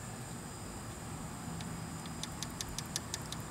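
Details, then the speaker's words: 50cc/60cc moped scooter engine idling during valve adjustment: sharp even metallic ticks, about five or six a second, over a low rumble from excessive valve clearance before the tappet is adjusted. "Because once it's right now you hear it tapping. You might not, might can, but anyway, that tapping, watch me unscrew"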